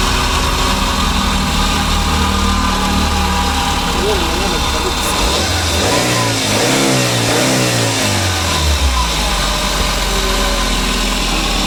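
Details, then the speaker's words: 2009 Daihatsu Grand Max petrol engine idling with a steady, noisy drone over the running note, from a worn idler pulley bearing. "Jadi suara mesinnya seperti itu teman-teman. Jadi suara daripada mesin ini dia agak berisik dan dia mendengung."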